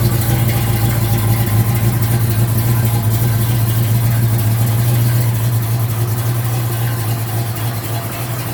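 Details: 1972 Ford Mustang Mach 1 with rebuilt 351 Cleveland Cobra Jet V8, Wolverine Blue Racer cam (510/536 lift, 290 duration), first start after rebuild, not yet warm: strong, even low rumble with slight cam lope, healthy.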